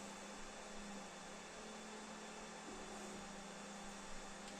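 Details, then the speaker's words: New Anycubic Kobra 3 Combo 3D printer doing automatic bed leveling on its first setup; quieter than the owner's other printer. Low, steady hum with a soft, even airy hiss from a slight fan, with no knocks or rattles; normal. "not very loud compared to my um elu all you can hear is a very slight fan"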